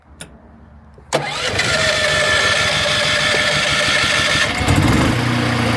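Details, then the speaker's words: RVMP 5500 onboard RV generator on a Brinkley 3950 Model G, started on propane after an oil change: short starter whirr, then a steady even drone with faint whine, load coming on fine; normal start and run. "She's running good. Okay, I just ran it for a few minutes. Everything sounds good. The load came on good. Everything's just like before."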